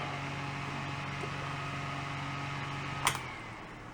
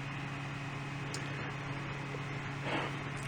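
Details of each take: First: Fan on an APC Back-UPS 450 switched to battery backup, whose stepped, modified sine-wave output leaves the fan nearly stalled: low strained hum, barely turning, then a sharp click, while the meter reads about 122–123 V. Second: Fan on an APC Back-UPS 450 test setup after AC line power was restored, relay clicked and reading about 122 V: a steady low hum with an even airy rush and no surging, so the fan is running normally.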